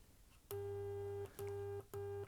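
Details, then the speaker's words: Sony XPLOD audio amplifier bought as faulty, test tone with the other speaker disconnected: steady mid-pitched tone in clean repeated bursts, no crackle or distortion; both channels confirmed working. "And now we can hear that speaker working. So it looks like both channels are working."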